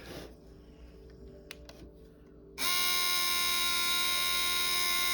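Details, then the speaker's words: Nintendo Wii sold as broken, disc drive on eject: silence, then a sudden loud, constant high-pitched electric buzz as the mechanism strains without ejecting; owner guesses something is jammed inside. "yeah that that shouldn't be happening just trying its hardest all right turn it off my guess is something is jammed inside of there"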